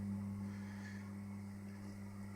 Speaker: That buzzing noise you can hear is the solenoid that's holding the door shut.